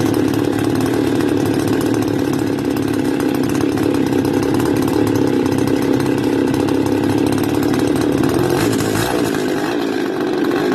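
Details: Stihl FS280 brush cutter two-stroke, warm, cover refitted for fan cooling: steady fast-idle buzz growing slightly uneven toward the end; engine struggles to stay running warm, cause not yet found.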